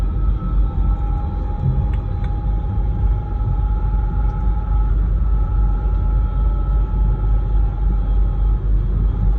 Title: E90 whining noise when driving, differential?